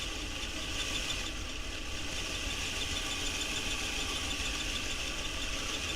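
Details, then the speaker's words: Hornby Locomotion No. 1 model locomotive running: a thin, high squeak riding constantly over a steady small-motor whir; the conrod is rubbing on the running plate; oiling the cylinders did not cure it. "see if we can locate where where the squeak is coming from"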